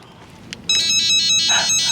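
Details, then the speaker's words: RV keypad/fob door lock with nearly dead AA batteries: quick run of sharp, high electronic beeps in under two seconds while it still unlocks; low-battery warning, not broken. "it's broken all right well let me take a look it's definitely making a weird noise but it is unlocking so i don't think it's broke"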